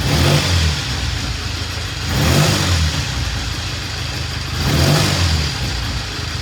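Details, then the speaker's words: 1960 Triumph 350cc 3TA twin blipped three times, every 2 to 3 seconds, clean and even with no knocks or misfires; charging confirmed on the ammeter, good oil flow, ready for a road test once a new battery is fitted. "it's ready for a road test as soon as we get a um a new battery sounds really good got good oil flow we checked it"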